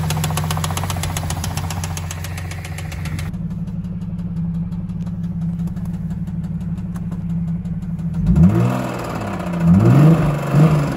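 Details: Cadillac CTS 3.6L V6: fast light ticking over a steady idle that continues when blipped; suspected lifter/camshaft problem needing replacement, unconfirmed.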